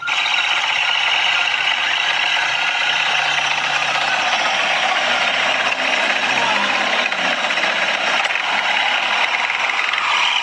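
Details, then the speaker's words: Yamaha NMAX scooter CVT making a harsh, dry squeaking and rattly creak after the CVT set was cleaned; the cause is a worn, dry collar/bushing with an enlarged pulley-side bore; fix is replacing the back plate, drive face and pulley. "Yung tunog ng langitngit ng papag na mura sa sarap ay dito nanggagaling yon sa kanyang colar o bushing. nagkukuskusan at dry na dry na kasi lumaki na ang butas ng kanyang pulley side."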